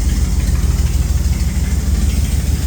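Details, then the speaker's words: 1976 Dodge W200 Power Wagon V8 with an electric fuel pump and cherry bomb mufflers, idling with a deep, rapid puffing pulse from an exhaust leak up near the engine; sounds okay out the back. "you can definitely hear that uh exhaust leak up there but she does run sounds okay out the back"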